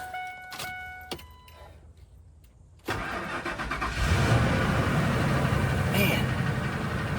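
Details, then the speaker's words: Ford F-150 crank-no-start after fuel pump replacement: a few dash chimes, a brief crank, it catches right away and settles into a steady, even idle; normal start, the fuel pump fixed it. "Well, there you go. Fuel pump took care of it."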